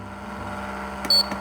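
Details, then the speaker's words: Baltra induction cooktop: soft button clicks, then one short high beep as the power key turns it on and off; responds cleanly and works normally. "यह देखिए यह on हो गया है और यह मैं इसे दबाता हूं वापस यह देखिए यह ऑफ भी हो गया है तो बड़े आराम से काम कर रहा है"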